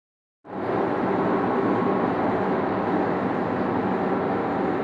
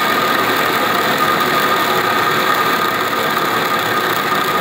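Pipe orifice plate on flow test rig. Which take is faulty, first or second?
second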